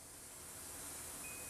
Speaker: That fuse is good, okay?